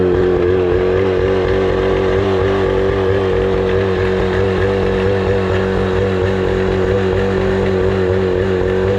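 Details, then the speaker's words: 25HP Mercury outboard that sat 4 years, idling after carburetor cleaning and fresh gas: an even, steady idle with constant pitch and no misses or knocks; running smoothly and healthy. "This motor is in perfect condition. I mean, it starts right up. It runs amazing. It idles amazing."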